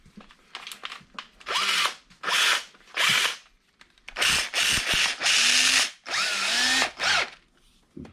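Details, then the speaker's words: Electric drill boring a part for a bronze bushing: runs in uneven bursts with a harsh chattering ratchet under load as the drill's clutch slips and is going out. "Clutch is going out in my drill."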